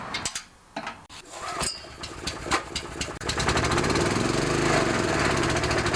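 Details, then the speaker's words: Vintage Honda EG4000 generator with G400 engine, after carburetor cleaning and new Tygon fuel line: chugs unevenly, surging and stumbling with loose rattle and heavy vibration; still not running properly, problem unresolved. "This thing vibrates so much I couldn't even adjust the screw, so I'm going to do it now, then start it up again."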